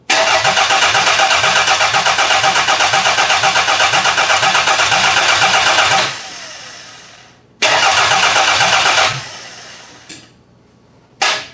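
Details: Demolition-derby car engine from a garbage pile: long steady cranking at about four beats a second, stops and restarts without firing; no spark on cylinder four.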